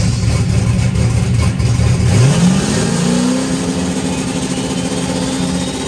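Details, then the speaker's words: Rebuilt methanol turbo engine held on the transbrake with CO2 in cold air: lopey idle, then a smooth rising turbo tone holding steady as it builds boost normally. "yeah, she made boost. Oh, wow. It's a little steamy in here."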